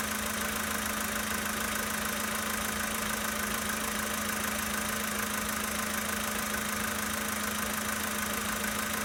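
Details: 2013 Volkswagen Polo Sedan Sochi Edition, 65,000 km, steady cold idle: a fast, fairly even ticking knock, around three per second, over the engine hum; cause unclear.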